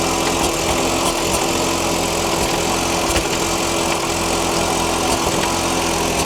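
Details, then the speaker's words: 2000 Audi TT Quattro started after sitting, in neutral and showing warm: a steady idle with an uneven beat and stumbles every second or so, with bad-smelling exhaust; rough running, which the owner hopes is old fuel, unconfirmed. "So, it's running, but it has a little bit of an hiccup. Hopefully, it is the the actual fuel that's in there."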